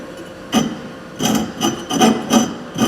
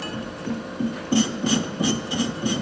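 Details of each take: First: Thorvie AV-40 sharpener grinding a jointer/planer knife at about 50–52 degrees: uneven scratchy rasps, about 80 strokes a minute, catching unevenly; the wheel bites only the cutting edge, so the angle needs raising. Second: Thorvie AV-40 sharpener grinding a jointer/planer knife, angle raised to about 55: steady, even, smooth stone passes with no chatter, contacting from the bottom edge to the top edge; the angle is correct.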